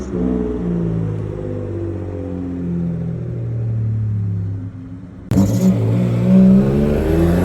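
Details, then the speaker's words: Mitsubishi 3000GT after a chassis swap (engine, transmission and gas tank moved over), running once the tank's hard line was cut and the rubber fuel line reused: catches and runs with a steady low drone and revs up cleanly without misses. "And then I reused that rubber line and hooked it up. And then after that, she finally started running."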